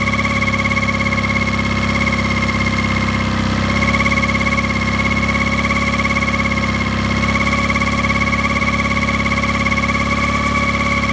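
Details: Mercury 9.9 Pro Kicker outboard at low rpm idle making a steady droning hum with a whining tone, what sounds like a bearing noise; cause not identified.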